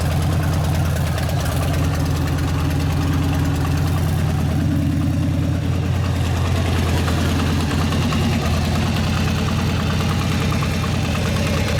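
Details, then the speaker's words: 1999 Harley 80ci Evo chopper warming up: loud, lumpy V-twin idle holding steady without stumbling or misfires; runs better as oil clears the crank into the oil tank, less drag; oil brown, due for a change; running healthy. "It runs a lot better as the oil gets out of that crank and gets up in the oil tank where it belongs. Sounds like it's running good though."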